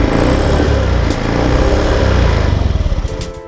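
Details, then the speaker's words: Automatic scooter after CVT component service/replacement and TPS sensor error cleared: revs up under throttle and settles with an even, smooth belt-drive drone, no slipping or rattle; CVT working normally. "kita dengarkan bunyi dari CVT nya terdengar bahwa mesin CVT telah berjalan dengan baik dan mulus"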